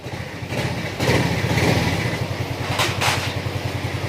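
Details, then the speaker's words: Yamaha Mio Soul 125 scooter before teardown, owner complains of strong vibration and wobbly crankshaft: soft even low putter at idle, no knocks or rattles; mechanic finds engine quiet, vibration normal. "Tahimik naman yung makina niya. Yan, maandar na yan."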